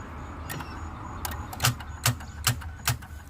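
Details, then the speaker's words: 2015 Ford Fusion that only clicks when trying to start: a string of sharp single clicks, about two a second, with no cranking; battery tests under 12 volts, while alternator and starter check good, so the cause is a bad battery. "Got a 2015 Ford Fusion. All it does is click when you try to start it. We're gonna test this battery. Let's see what it tells us. Yeah, the battery is very low. Less than 12 volts."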